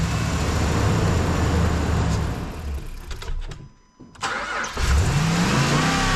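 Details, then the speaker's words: Dodge Ram 2500 Hemi, engine run while the TIPM connector is wiggled: idle chugs, dies to near silence for about a second, then cranks and catches with a rising rev, with clicking; security lights flash; stalling from a corroded, faulty TIPM. "I'm just going to start it with it up here and wiggle it around and see if there's a glitch you can hear stuff clicking when I'm wiggling this around listen to that what do you think guys is that our issue"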